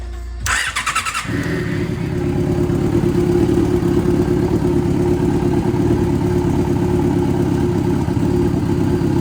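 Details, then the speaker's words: Yamaha Fazer FZ6, just bought; the timing chain was audibly noisy before. Starter churn, then the four settles into a steady, even idle with no ticking or clatter. Runs noticeably better; normal running. "No jest znacznie lepiej już nawet słychać po po samej pracy"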